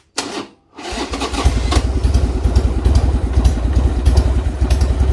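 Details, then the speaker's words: Harley Sportster after intake gasket replacement, with a dead battery: fires after a short crank, then a lumpy idle on choke with wandering beats; owner suspects carburetor issues. "I'll be taking the card back off and figuring out what the the issue is but got the intake done and uh I will say everything in there is a lot better than it was even though she doesn't want to run"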